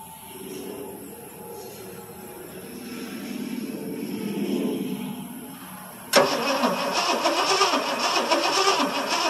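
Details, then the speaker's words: 1977 Ford F150 Supercab 460 V8, cold start with fuel poured in the carburetor: steady starter cranking at about three and a half beats a second, never catching, then a louder rougher burst; cranks but won't fire, no spark. "all right crank it boy she don't seem like she wants to do anything"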